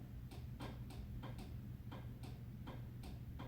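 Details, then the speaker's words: Rube Goldberg PLC project: after an Omron NPN proximity sensor on 12 volts trips, a crisp single relay click over low room hum, pulling in cleanly to stop the fan and start the drill; normal relay operation. "That's a relay clicking over there. And that's pretty much the end of it. That's what stops our fan."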